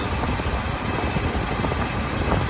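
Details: 2009 Smart Car after blower motor replacement (previously loud noises and no heat or A/C, code P0410); steady even whoosh with low hum, no ticking, rubbing or wobble: normal blower fan operation.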